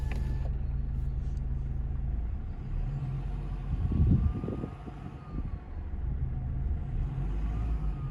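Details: Stock 2009 Kia Ceed 1.6 CRDi diesel, all piping intact: a rather loud turbo whine between 1000 and 2000 rpm, a faint rising and falling whistle over a diesel rumble. It persists above 2000 rpm but is masked, with little or no power loss.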